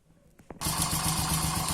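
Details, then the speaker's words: Honda Pop 100 motorcycle engine catches and idles with a quick, light metallic slapping over each firing beat; the mechanic suspects the cam timing chain or a chain sprocket, and the cover is to be opened to check. "aí, gente, o barulho que tá no motor, vê que dá para você escutar daí. Mais ou menos dá para escutar, né? O barulho é nessa parte aqui."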